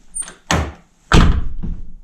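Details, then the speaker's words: 2009 Nissan R35 GTR driver door, before repair: solid thunk then short tinny buzz-rattle from the lock area just after closing; suspected loose security plate or lock. "It's that rattle just after it closes. And I believe some people have told me that it's a plate inside. There's a security plate that needs tightening up or it could be something else."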